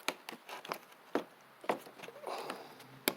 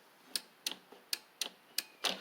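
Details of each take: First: Husqvarna Z4822 zero-turn mower, long stored, PTO switch on with the 30 A PTO fuse in place: sharp electric clicks as the blade clutch engages. Normal PTO switch and clutch engagement. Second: Husqvarna Z4822 zero-turn mower, long stored: key turn gives sharp dry clicks about three a second from relays, safety switch and carburetor solenoid but no cranking; cranks when terminals crossed; failed starter solenoid.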